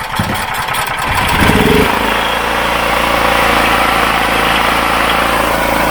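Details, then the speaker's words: Chinese Wolf 5kVA generator with a Honda GX390-clone petrol engine, after a service and new spark plug, under about 2 kW load: steady, even drone with no misses or knocks; normal running under load. "Good, it powers that no problem, and you can hear it going under load a little bit, but not that much."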